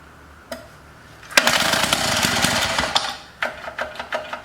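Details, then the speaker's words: Antique Lawn-Boy edger on first run after carburettor cleaning: a brief rough run with a harsh scraping rasp, then ticking as it stops. The dented cooling fan is hitting its cover. "sounds like the fan sitting on here oh yeah look at it it's kind of dented in"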